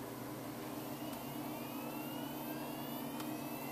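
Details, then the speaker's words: Hitachi 400 GB SATA hard drive for a DVR security system, bench-tested through a SATA-to-USB 2.0 adapter before installing: a steady faint hum and a whine rising evenly as the platters spin up cleanly, and the drive is detected. "I hear it there it is finally caught up to it new Drive is found Hardware is installed and ready to use"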